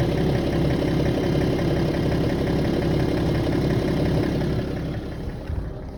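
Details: BMW E90 330d 231hp diesel, warm idle only: heavy, fairly even knock about three per second, disappearing above 1000 rpm and returning 5-6 seconds after dropping back to idle; origin unknown.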